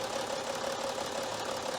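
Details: BMW X5 3.0 six-cylinder diesel at 326,000 km, rough clattery uneven idle with misfire, shaking and white smoke; computer flagged injector 5; injectors and their coils found faulty, recorded before injector overhaul.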